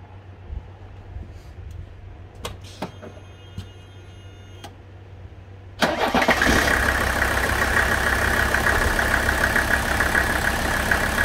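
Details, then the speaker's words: Warm Mercedes OM617 diesel with new high-output injectors, return lines and fuel filter, before a Diesel Purge injector cleaning: fires quickly and settles into a steady, even idle clatter. It runs well. "it really runs pretty good after the new injectors and we've got the fuel lines hooked back up"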